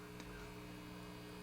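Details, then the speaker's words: Kendrick JoyZee tube guitar amp after filament rewiring with twisted-pair silver Teflon wire: constant low buzzy hum persists; suspected pickup by poorly routed runners from eyelet board near filament pins and grounds. "So hear that buzz? Got the same thing going on. So the next step will be to eliminate these runners coming off the eyelet"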